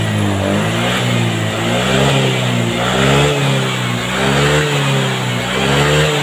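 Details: Honda Vario 125 FI scooter after a manual ECU reset (mode 1 setting, DLC jumper removed): repeated throttle blips about once a second rise and fall cleanly without hesitation; responds properly, reset successful.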